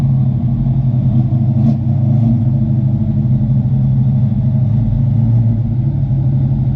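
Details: 1988 Mustang GT V8 after base idle reset and timing set, third computer with 306 heads/cam/intake tune: steady low rumbling idle, even, no misses or knocks; normal idle.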